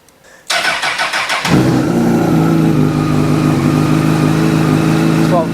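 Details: 2006 Honda CBR1000RR after stator and voltage regulator replacement for a dead battery and intermittent starting: starter whirs about a second, engine catches cleanly into a smooth, steady idle; battery 12.4 V before start; normal start and idle.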